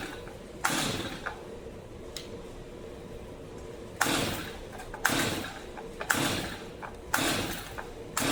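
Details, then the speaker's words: Brand-new, never-used Stihl MS 250 chainsaw: repeated rasping pull-cord strokes about one a second, engine turning over but never catching; cranks but won't start despite confirmed spark, dried plug, choke working, fuel present. "Nothing. Mhm. Well, this one's going to require a little bit more of a a a deeper dive into it."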